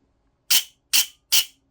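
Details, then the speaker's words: Silverback MDR-X airsoft gearbox cycling with pressure applied to the motor: three clean, even high-pitched whirring bursts, smoother than the horrific sound without pressure; bevel gear sits too low and can't be shimmed higher. "I apply a little bit of pressure how much smoother does that sound so what's happening is is the bevel gear is sat too low"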